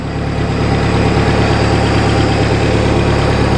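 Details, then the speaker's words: Rebuilt boat inboard engine, warmed to 160–170°, during winterization: smooth, even idle at about 1,000 rpm, slightly fast, with a steady low rumble. It is running normally. "It's actually running pretty good. My RPM here says it's running at about 1,000, probably a little bit fast."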